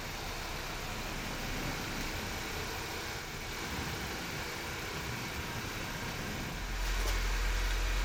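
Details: 2016 Honda CR-V while driving: rough, gritty grinding from rear brakes worn metal-on-metal with rotor damage and uneven pad wear, caused by dirty, unlubricated guide pins, not a seized caliper.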